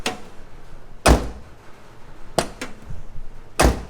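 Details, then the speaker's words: Mazda Miata door closing after adjusting and tightening; several solid dull thunks with short rattle-free decay, sounding much better than before. "listen to this sound better it sounds a lot better"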